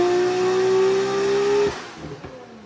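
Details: Nissan R34 GT-R being tuned on a dyno: the turbo engine howls in a clean rising tone under full load, then backs off sharply, pulling strongly with no stumble. Power rose from 563 to about 652 with compensation tables and a new sensor.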